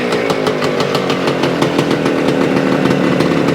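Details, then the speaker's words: 1975 Suzuki TS-250 two-stroke, first start after stator rewire and coil ground repair, loose stator screws found: crisp, even buzz at steady fast idle with no misfires; running cleanly. "[Music] well it sounds sounds like we got a live one not sure what the problem was"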